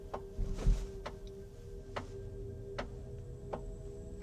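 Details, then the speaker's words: Kia EV5 GT-Line electric car at low speed in a parking lot: sharp, regular taps about once a second over a quiet electric hum, from an object stuck in the tire tread. "It sounds like someone's tapping the car on the roof, from the side, or from above . It keeps making strange noises."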